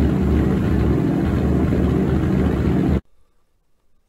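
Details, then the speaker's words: IH UD-16 diesel power unit on 1945 Chevy truck, dry engine cranking slowly, given ether: heavy cranking beats about three to four a second, rough rumble as it fires for the first time on diesel with black smoke, then stops. "we're very pleased the ud16 fired for the first time on diesel we had black smoke which is a good sign"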